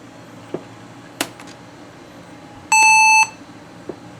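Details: Laptop with 256 MB RAM, previously thought to have a motherboard fault, giving a single clean high beep about half a second long at power-up; a normal POST.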